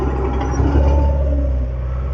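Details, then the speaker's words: Late-1980s Cat 943 track loader diesel running at full throttle while driving; deep steady drone with no sagging or bogging, normal full-throttle running. "Turn it down just a little bit and do the full speed, full throttle. As you can hear, no bogging down."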